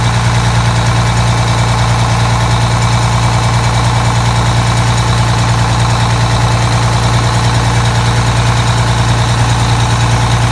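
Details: Detroit Diesel 6V92TA two-stroke after installing Jake brakes on the passenger side, test run: deep steady idle with even unbroken beat, no knocks or misses; normal idle, successful test.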